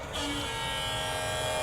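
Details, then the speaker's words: Electric-over-hydraulic trailer brake pump on the yellow emergency-breakaway wire test, with ground hooked up: the motor kicks in and settles into a steady, even high whine as it builds pressure, so the pump passes. "and it runs. It's going to pressure up again. So this pump passes the test."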